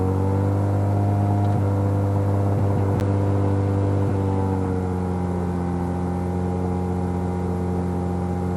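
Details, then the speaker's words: Mazda 13B rotary engine in a Piper aircraft, pre-takeoff run-up after taxi, heard on cockpit audio; strong steady drone, even firing at high revs, no misses or rough patches; run-up sounds good, normal. "all right well the engine run up sounds good"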